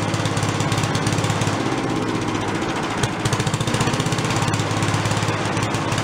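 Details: Probably late-1970s/early-1980s Giant Vac walk-behind leaf blower, bought worn from a garage sale, primed from a bottle: loud, raspy two-stroke buzz held at full throttle, slight surging but no dropouts or bogging; normal running. It has no idle circuit.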